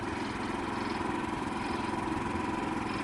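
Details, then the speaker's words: Harbor Freight Predator 3500 inverter generator on first start, running while the panel reads 123 volts: a quiet, steady hum with an even beat and no misses or surging. It runs smoothly under light load and is very quiet. "It's not going to bother you, especially if you're me, like a truck driver. You use that sound. This thing is insanely quiet."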